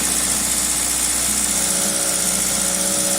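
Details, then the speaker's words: 2000 Toyota Celica GTS, 2ZZ engine, warm at 90 °C coolant, throttle cable disconnected: fast, steady idle at 1800 rpm with a constant hiss, throttle position 11–12%, IAC duty 38.7%; owner suspects the idle air control valve or extra air getting in. "you can see the engine is revving pretty high no throttle the throttle cable is disconnected we're now at coolant temperature at 90 degrees Celsius engine speed at Holy Smokes 1800 RPM"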